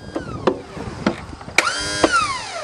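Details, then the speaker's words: About 20-year-old lawn tractor, unused 9–10 years: a few clicks then a light whirring whine winding up and fading with no engine turning; the seized Bendix starter drive gear is not engaging the flywheel. "well for some reason that little starter drive gear is not lifting up by itself and engaging the flywheel"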